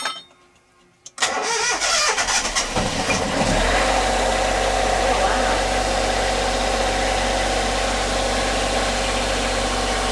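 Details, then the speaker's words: Sailboat generator's first start after finding its strainer leaking: brief cranking, then it catches within seconds and settles into a steady, even run with good oil pressure; the red flashing light is probably the generator breaker left off. Healthy start. "Good oil pressure. I think that red flashing light means I forgot to turn the breaker on the generator itself. Of course, that noise you hear is the generator running."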